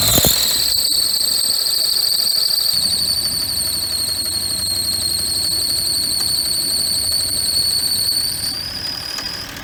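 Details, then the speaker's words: Geo Metro engine starting after sitting, battery possibly weak; loud, piercing high squeal held steady for eight seconds then dropping in pitch from the alternator area, sprayed during running; alternator suspected failed. Squeal at alternator. "Let it fucking squeal. Thanks, you killed the alternator."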